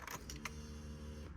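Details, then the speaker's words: VW Mark II Polo GT Breadvan that cut out while driving and won't start, ignition switched on: low steady electric hum for about 1.25 seconds, then cuts off; fuel pumps priming normally. "know if you can hear the fuel pumps priming there."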